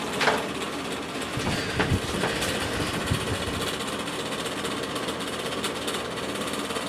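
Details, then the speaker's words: Bersted electric fan with oscillation switched on: the oscillator gets stuck, with uneven clicks and knocks over a rattly hum; the bearings seem fine. Oscillator binding and clattering, cause unclear. "so okay this thing's it's stuck there's something going on here"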